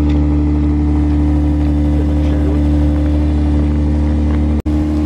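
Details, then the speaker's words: The slammer running very loud after the winter break, owner suspects a newly developed exhaust leak: coarse heavy constant drone, much louder than stock, sounding like a beater. "this thing is running so loud now I guess over the break or something is developed an exhaust leak and just sounds like a beater"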